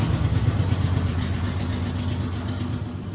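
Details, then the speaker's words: 1981 Chevy LUV service truck revived after 23 years sitting, after carburetor fix, exhaust not fully clamped to muffler: steady low engine rumble settling evenly without misses, stumbles or knocks; running smoothly and healthy. "Damn, that sounded good, too."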